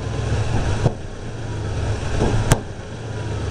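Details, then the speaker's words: Truck engine, warmed up, vacuum gauge bouncing at idle: low, uneven idle that dips and stumbles at part throttle, with a sharp backfire pop through the exhaust; cannot run with vacuum advance connected; timing and carb mixture being adjusted, cause unclear. "you'd actually hear the motor uh going up and down a little bit if I just give a little bit of par throttle you'll hear a stumble"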